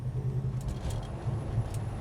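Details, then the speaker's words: Restored 1969 Dodge Charger R/T, 440 four-barrel V8, 4-speed manual, 27 miles since restoration, warmed up, passenger road test: a deep, loping V8 exhaust rumble pulsing evenly at light cruise with no ticks or knocks; healthy. "great exhaust note Rumble of the V8 everything works really well"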